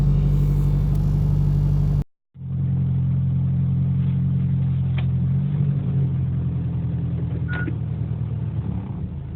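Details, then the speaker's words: Mitsubishi Inspira 2.0 (Lancer GT) on a morning start, recorded inside the cabin at idle: a heavy, steady low boom and vibration, most likely from broken engine mounts; quieter in reverse and in Drive, with idle RPM normal. "when the car is started in the morning, it gives off this weird vibration, this sound. All right. So what I found out is that it's most likely the engine mounting that's broken."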